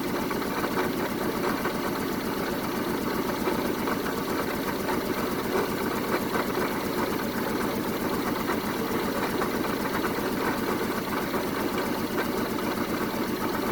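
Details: 1974 Honda Civic series 1 Mk1 test run after new spark plugs: steady idle with fast, slightly uneven pulse and faint stumble; still rough-running with lingering misfire, compression check planned, cause unconfirmed.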